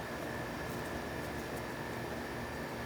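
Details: 1970s Amana 18,000 BTU (1.5 ton) room air conditioner after cleaning up compressor connections: steady rush of air, faint constant hum, no knocks or rattles; compressor smooth and quiet, discharge hot.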